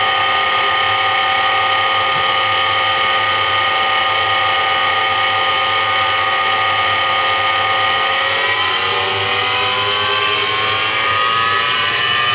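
Loud steady hum with whining tones that climb after about eight seconds as the drum speeds up; a worn drum bearing.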